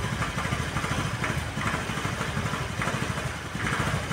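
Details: Honda Vario 110 (KVB) carbureted scooter before carburetor service: lumpy idle surging and dipping, nearly stalling; previously high rpm on morning start, heavy pull, stalls when center stand lowered. Unstable rough idle.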